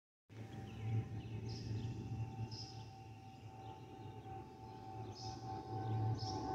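A steady mid-pitched whistle rides over the low cabin rumble, the familiar fuel-pump overpressure whistle this type normally makes.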